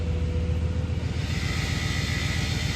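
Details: 2009+ Ford F-150 (also 2007–14 Expedition), any engine, in gear against the brake simulating slow acceleration: deep rumble with fast, buzzy metallic rattle under light load; exhaust heat shield rattle, fixed with a hose clamp.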